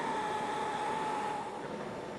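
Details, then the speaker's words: Oxy-LPG cutting torch correctly adjusted: steady gas roar with a slight thin, even whistle, the clue to a good neutral flame, longer than an acetylene flame, neither oxidising nor carbonising. "Now we've got a longer flame than acetylene, yet it's neutral. Hear the slight whistling effect? This is the clue to a good neutral flame."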